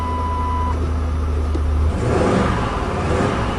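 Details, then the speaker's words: 1997 Lincoln Continental V8 idling after a cold start with a rhythmic pulsing miss from one dead cylinder; the coil pack was suspected but ruled out, and the plug wires are being pulled one at a time. "yeah you can hear that pulsing Miss so here we go"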